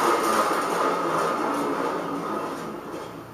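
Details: R2-D2 dome Rockler bearing, cleaned, with its metal balls replaced by Delrin acetal resin balls and Teflon spray, where the old one screeched: soft, light ticking at about four per second that fades as the spin slows. No grinding, so it turns smoothly and quietly.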